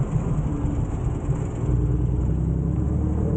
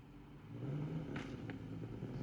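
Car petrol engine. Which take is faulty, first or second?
second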